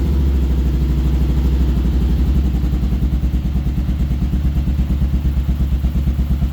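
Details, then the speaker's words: Kawasaki KLR650 single-cylinder after carb cleaning, choke off: lumpy thumping around three pulses a second with occasional exhaust pops and backfiring when revved; owner suspects it is starving for fuel; uneven running. "choke off I think uh it's starving a little bit for fuel when you rev it but uh sounds pretty good"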